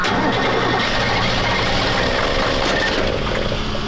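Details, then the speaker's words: Diesel truck hard to start after a big fuel filter leak let air into the fuel system: cranks and briefly catches, running rough with ragged clatter while injection lines are cracked to bleed air. "So we're cracking injection lines to get the air out of the injection lines. So that way, because if there's air in a diesel, it's not gonna run. It'll run, but it won't run very great, just like you just saw."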